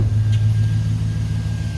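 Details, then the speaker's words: Chevrolet Suburban V8 at idle after the loud racket was traced to the AC compressor on its own belt, not the engine: low, smooth even rumble, no knocking, squealing or grinding; running good, no more noise. "she's running good no more noise I'll talk about this in a second here the racket one away she running good"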